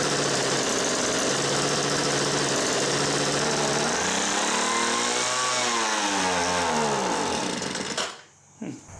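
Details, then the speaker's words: Homelite MightyLite 26b leaf blower (model UT08520, Zama RB-29 carburetor) found roadside: starts and runs on full choke, but on half choke revs high, surges and shuts off; faulty carburetor starving it of fuel. "I think there's something else going on other than that fuel line because what's been happening is it will start in full choke it'll run but the moment I try to run into half choke it revs real high and then shuts off"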